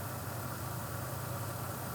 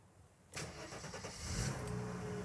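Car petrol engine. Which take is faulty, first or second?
second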